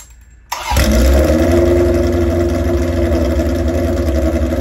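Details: Old chopper motorcycle with carburetors, idling while propane is run around the intake rubbers and manifold to test for a vacuum leak: lumpy, uneven idle with no change in sound, so no intake leak found; cause of roughness unconfirmed.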